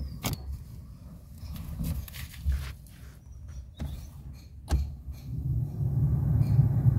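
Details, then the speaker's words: Alto 800 cabin blower after repair: a few control clicks, then a smooth, steady rush with no rattle. The earlier noise came from debris sucked in and stuck in the blower because no AC filter was fitted; the filter was still to be installed. "देखिए, problem sort out हो गई, कोई sound नहीं है, सिर्फ blower का जो normal sound होता है वो साउंड आ रहा है।"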